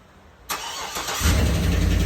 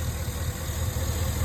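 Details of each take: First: 2011 Cadillac Escalade 6.2L V8 with active fuel management, 178k miles: cold start, cranks and settles into a loud idle with a steady light lifter tick. Quieter once warm but still audible; preceded by cylinder 4 and 7 misfires. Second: 2011 Cadillac Escalade 6.2L V8 with active fuel management, 178k miles, idling after lifter tick treatment and cleaning; low, even idle rumble with no ticking, slight shake but no misfire and no codes.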